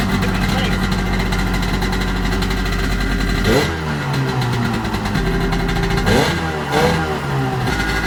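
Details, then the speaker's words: 1995 Sea-Doo GTX two-stroke on a water hose: rough idle with a raspy, puffing edge sharpening on throttle blips. Exhaust leak between exhaust manifold and pipe, repaired with new gaskets; water flow also seemed blocked. "You repair one thing and you get it running, and then you find out what else is wrong. So now we found out that we've got an exhaust leak,"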